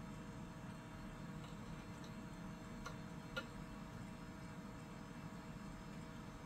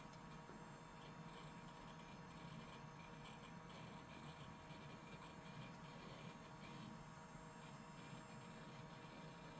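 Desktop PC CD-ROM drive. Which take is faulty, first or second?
first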